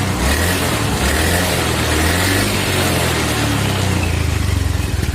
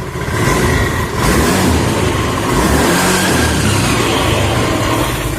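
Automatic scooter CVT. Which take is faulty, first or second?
second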